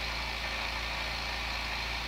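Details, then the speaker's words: New oil-less compressor for airbrushing, first fill after unboxing with regulator turned down: steady even electric hum with fast mechanical buzz, no knocks or rattles, quiet enough to talk over; pumping up normally. "yeah I think this is gonna work out okay for while I'm airbrushing so you can hear me talk"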